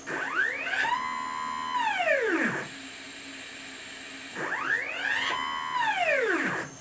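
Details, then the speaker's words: Upgraded Y-axis stepper motor on a homemade JGRO CNC router, Mach3 tuning at velocity around 65: tone sweeps up, then breaks into rough buzzing chatter; the motor stalls and slips steps from excessive velocity. "so the motor is actually slipping and that means that I'm going too much"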